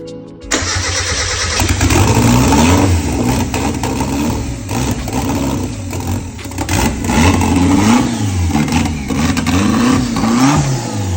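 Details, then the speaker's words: 1991 Japanese-import Mazda MX5 1.6, off the road nearly 3 years with a rebuilt engine, started after wiring troubleshooting whose cause is still unclear: brief cranking, then it catches and runs with rising and falling rev blips, holding idle. "but we messed with some wires and managed to get it started for the first time in a long time yesterday"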